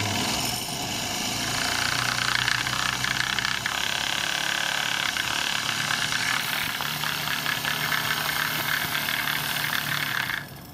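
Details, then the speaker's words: Stuart 10V steam engine fed by a homemade 3-inch copper-pipe boiler at 25 psi: loud steady rush of steam with the exhaust beats blurred into one whir, the engine overspeeding, where it is normally run at 1-2 psi. "on okay that's a little ridiculous that's how fast this steuart 10v runs at 25 psi um I normally keep it down more like 1 or two PSI that's a little more reasonable"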